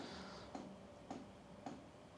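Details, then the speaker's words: LF Bros N4 5 kW all-in-one diesel heater at first startup, in a quiet garage: sharp, even clicks about twice a second as the dosing pump draws in diesel; normal fuel pump clicking. "And here we can hear the first clicking sound,"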